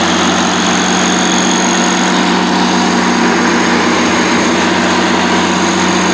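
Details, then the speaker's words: 2002 Kohler 100 kW (125 kVA) standby diesel generator, 320 hours, regularly serviced, running without a muffler: loud, steady diesel drone with even firing and no miss or knock, somewhat raw; healthy running. "it does not have a muffler but everything else seems to be in perfectly working order we're going to start it up right quick so you can hear it run"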